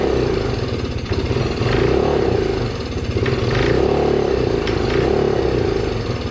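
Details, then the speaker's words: Can-Am ATV that went for a swim, started without ether with suspected bad or watered fuel: an uneven, lumpy note surging and sagging about four times a second. Rough running; cause suspected, not confirmed. "oh that didn't sound good hey started without me putting any goat juice in there are you almost gonna go on your own"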